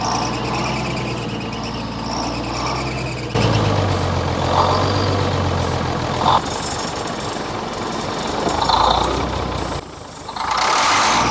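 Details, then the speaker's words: Old military truck diesel being started: long steady cranking about four strokes/s, never catching; fuel reaches the injector pump but not the injectors, owner concludes injector pump is bad though it idled briefly earlier. "there's no fuel getting up to these injectors they just ain't so we get fuel up to this point and then so that just tells me that pump is bad right there"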